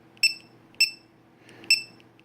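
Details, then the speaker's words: Dynamite Prophet Precept (DYNC2015) low-voltage alarm fitted in a boat, threshold set at 3.80 (range down to 2.70) for half battery capacity: short high chirps about twice a second over a quiet hum, with a flashing light. "let's see 380 so lowest to go is 270 and of course you hear that beep that's what the alarm sounds like when it goes off kind of like that right there and the light flashes"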